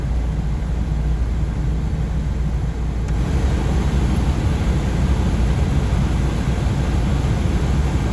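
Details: VW T5 heater blower on speed 2, refitted after being greased as a temporary fix: steady low rushing hum, squeal gone, occasional catching or rattling. Owner expects to buy a new fan. Normal blower fan operation.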